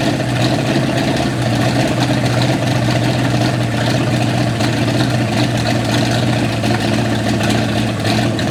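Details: 1955 Chevy V8 stored 20 years, running on brake cleaner topped into the float bowls to pump out old fuel: rumbles along at an even idle for several seconds, firing smoothly.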